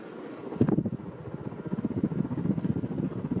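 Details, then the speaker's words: Vintage 42-inch Emerson 1895 Series ceiling fan in white switched to high speed: steady rushing air with soft even blade pulsing, no ticks or rubbing; performs flawlessly, normal high-speed running. "listen to that air yeah these are really good performing fans too especially uh 42 inch focus"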